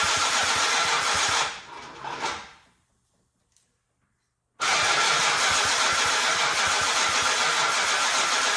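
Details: 1968 Dodge Monaco with 440 big block after 36 years, first start attempt: starter churns, stops, then cranks hard again without catching; has spark, fuel and compression; owner suspects too much fuel in the cylinders.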